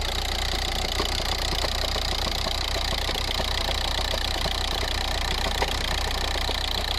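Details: VW/Audi diesel at idle: loose, steady rattle of about three knocks a second from the transmission/bellhousing area, like a can of marbles, which can improve when revving or accelerating; a failed dual mass flywheel.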